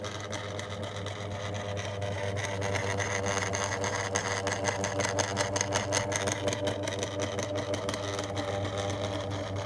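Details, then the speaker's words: 2002 Lloytron F029 9-inch desk fan, little grease: strong mains hum with rough uneven growl and irregular rattling; motor struggling, owner suspects intermittent motor connection. "That's just terrible. I know. He's half growling. Half half growling. Half struggling to properly cooperate and operate."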